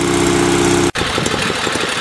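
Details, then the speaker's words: Sears SS16 twin-cylinder garden tractor after warm-up, idle turned down from higher: low, steady putter with even beats from both cylinders and no misses or knocks; a smooth, healthy low idle. "Okay, I just turned her down. She was idling a lot higher before. It'll actually slowly go and idle even lower than this. Has a pretty good sound to it."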